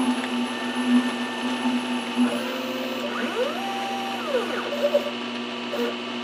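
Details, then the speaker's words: Lathe threading ER40 side of an ER40-to-5C adapter: steady hum with chatter-like squeal and rising-falling tones, not actual chatter but the tool cutting off tops of old chatter marks. "fortunately this noise is not chatter but more or less the cutting of the tops of the chatter marks sounds the same but this one is actually a little more beneficial"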